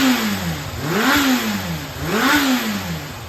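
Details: Running Yamaha XJR400 (4HM, early type) engine assembly on a start-check: two clean throttle blips that sweep up and back smoothly, with no knocks or rattles. Said to have no abnormal noise or white smoke and high, measured compression. Normal running.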